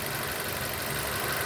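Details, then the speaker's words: 2006 Nissan Y11 AD QG15 e-throttle at idle while the scan tool commands VVT cam phasing from 10 degrees advance to 0: steady, even idle hum, idle note changes; vacuum stabilizes. "Right, and you can hear the idle change, but also watch the pulse width on the signal changing."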